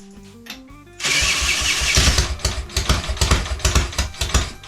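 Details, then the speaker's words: Triumph Tigress scooter restoration, first start attempt with little fuel and no throttle cable: cranking gives way to a sudden catch, uneven popping for a few seconds, then fades; fires but won't keep running. "Got fire. That sounds sick. So, I'm uh dead happy with that one. Fired up. Not for long."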